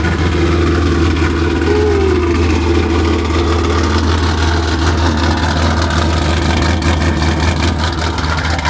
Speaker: This thing is loud. Sounds super [Music] healthy. that that that's all I hear when I hear this. This thing sounds good.